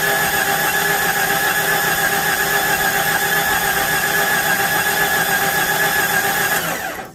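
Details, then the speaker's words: 1993 Jeep Cherokee with the fuel pump reconnected and a booster battery: long, labored cranking with a dull uneven beat, about four turns a second, that never catches. Owner suspects low compression and expects under 100 on the compression test. "Yeah, it still sounds terrible. It's either go or die."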